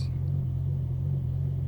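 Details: BMW M6 V10 just started from cold (started in neutral with foot on brake): a deep, steady low rumble, a touch uneven, which is a normal rough cold idle for this engine.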